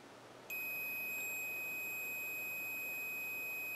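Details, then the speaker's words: Hot quadcopter brushless motor tested for continuity between middle lead and mounting screw: steady high beep about three seconds; winding shorted to the frame, faulty motor. "you can hear that but it started beeping when I touch that middle cable"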